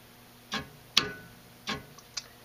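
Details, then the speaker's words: Honeywell VR9205Q two-stage furnace gas valve, low stage energized: a substantial clunk as two solenoids open, the main gas valve solenoid and the servo solenoid controlling diaphragm pressure; sharp clicks with no hum between, operating normally. "that's a much more substantial clunk as you can hear now that would actually be two solenoids opening the main gas valve solenoid and then also the servo solenoid which is going to control the pressure to the diaphragm in there"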